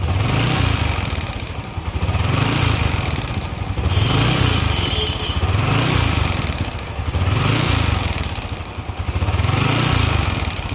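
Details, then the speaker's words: Motorcycle quiet at idle but clatters when revved: engine swells with each throttle blip, rattly knocking rising over revs; diagnosed as piston knock, to be dismantled for repair. "để garanti thì êm anh em ạ Nhưng mà ga lên thì kêu lách cách anh em nghe nhé"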